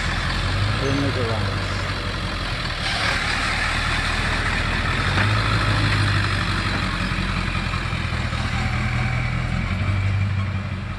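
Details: Engine idling with a steady low drone and a faint irregular rattle on top; owner suspects the clutch, cause not confirmed.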